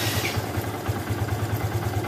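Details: Yamaha Bison after fixing backfiring on deceleration by plugging the head-to-emission-system hose and intake manifold hose: even low putter at idle with steady firing pulses, no popping or misses; smooth idle.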